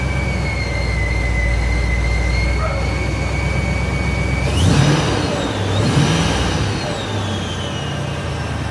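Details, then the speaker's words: 1956 Ford F-100 with Powerdyne belt-driven centrifugal supercharger after replacing failed internal cog drive belt; steady low engine note under high whistle sweeping up with throttle blips; normal supercharger whine. "We're a little cruise through town here. Sounds good. Lots of whistling."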